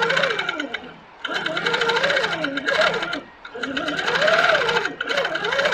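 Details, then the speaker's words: Handi Quilter Capri sit-down longarm in Precision stitch-regulation mode at 11 stitches per inch; fast even needle chatter in stop-start bursts with rising and falling hum, smooth controlled normal stitching. "this is at 11 stitches per inch nice and controlled it's a very fast machine"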